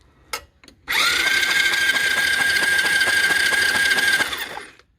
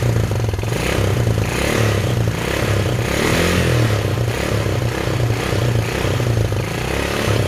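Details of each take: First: Chinese 110cc quad (ATV) with a charged battery, starter jumped with a screwdriver across the solenoid: it turns over with steady chugging about three per second but never fires, because there is no spark and many wires are disconnected. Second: Chinese 110cc quad (ATV) with a messy wiring harness, first start after carb cleaner was sprayed into the air filter: the small single-cylinder engine idles steadily with an even beat and no knocks or misses; the quad runs normally.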